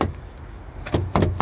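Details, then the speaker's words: 2008 Ford Edge with 3.5 V6 and six-speed automatic, unlocked with the key fob: a quick cluster of firm, crisp thunks from all doors together. All the power door lock actuators are working normally. "let me unlock okay good so both sides all the actuators are working that's a good sign"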